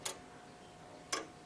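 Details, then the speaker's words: Early Morbier clock (made 1680–1850) with crown-wheel verge escapement, after topping the crown wheel teeth about another thou: two crisp, equally sharp ticks a second apart; even beat, running healthy. "when it drops off one paddle and picks up the other, they're all the same."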